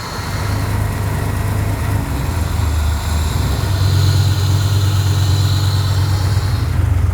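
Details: Dad's V8 truck idling and warming up after the swapped fuel pressure sensor and TPS connectors were corrected: steady, even low rumble with no knocks or misses; a healthy idle as the heater now works.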